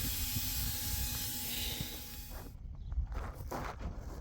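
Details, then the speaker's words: 2008 Mack with MP7 diesel during an oil service inspection, brakes applied: a steady sharp hiss from several fittings on the foot brake valve. A steer brake chamber was first suspected; the air leak is suspected at the foot valve fittings. "Okay, we got a bunch of fittings on this air valve. This is the foot valve for the foot brake. Got a bunch of air leaks on it."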